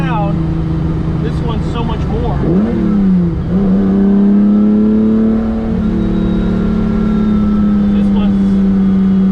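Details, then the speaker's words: Ferrari 365 GTC/4 V12 after carburetor strip-down fixing non-functioning accelerator pump jets, fuel leak fixed; alternator plastic belt may snap until it runs up: quick blip to a strong even tone with clean, responsive free revving. "but let me just show you how responsive this is that's better [Music] that's a good sound"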